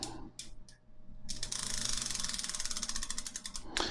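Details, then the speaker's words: Raleigh Chopper rear wheel, freshly laced and rebuilt, spun in the forks: rapid, crisp, even ratchet clicks show the freewheel working normally. "yeah freewheel seems to be working on right now so yeah done and dusted first wheel"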